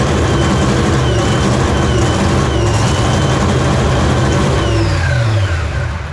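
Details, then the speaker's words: Nitro funny car Hemi, first fire-up on gasoline with air wide open: heavy cranking with ragged attempts to fire that never catch cleanly; an ignition problem, so the mags were shut off. "It has an electrical issue. There's an ignition problem. There's an ignition problem. Shutting the mags off."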